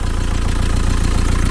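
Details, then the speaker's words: 1987 VW T3 camper with AHU TDI diesel after a turbo replacement, idling: steady diesel clatter with slightly uneven pulses, mild lumpy idle, likely one cylinder; owner suspects a leaky injector and plans to snug its retaining bolt. "I'd say I'd probably do something else and the reason being is because there's a slight lumpiness to the idle and that would explain it"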